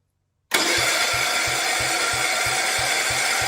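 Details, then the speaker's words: 1971 John Deere 110, first start after converting magneto to battery ignition, possibly cold: catches right away, steady low thump about four beats a second, starts much easier than before; normal start. "well that started I was going to say that started a lot easier than used to"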